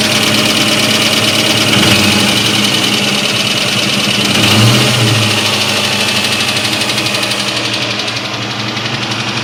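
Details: 2003 Ford SVT Cobra: rough idle with a steady hollow knock about four per second; badly scored pistons causing piston slap.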